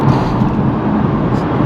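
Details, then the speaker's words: BMW driving after a fix: steady low road and drivetrain rumble with no scraping or screeching; the scraping came from parking brake cables touching the drive shaft, now zip-tied away. "oh the noise is not there anymore so it wasn't the most elegant fix but it worked"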